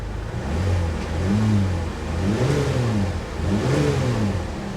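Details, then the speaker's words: Salvage auction car: revs rise and fall unevenly with a stumbling beat, and it smokes considerably. Bad misfire, possibly just needing fuel worked through; it ran relatively well once fuel worked through. "oh misfire misfire bad yeah she's misfiring pretty bad guys well darn really uh if it ran right i was totally interested in it but it's definitely not running right oh she's misfiring awful she's also smoking considerably"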